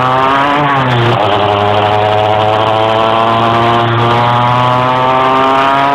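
Revs climb, dip sharply near the first second, then drone flat without pulling higher; the engine is struggling to gain speed under load.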